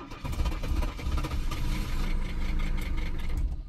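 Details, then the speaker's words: 1982 Mercedes 300SD turbo diesel, bought non-running. It starts and clatters unevenly for about two seconds, then dies without settling to idle. The owner wonders if it is an electrical issue rather than fuel; the cause is unknown. "oh i just did exactly the same thing i did earlier run for like two seconds and then died again can't uh can't keep it running though"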